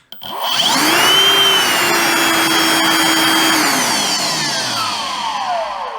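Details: Milwaukee Packout vacuum cleaner, previously dead, tested with the motor taken back off, battery in and on speed one, partially faulty fuse found; motor spins up quickly to steady high whine, even pitch without rattle, winds down smoothly: normal running.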